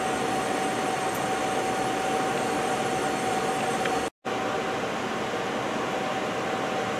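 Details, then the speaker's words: Robinair 34788NI recovery machine recovering a vehicle's AC refrigerant into the tank. Steady, even compressor hum with a constant mid-pitched tone and no knocks or surging: running normally. "so it's starting to recover here you'll start to see the pounds go"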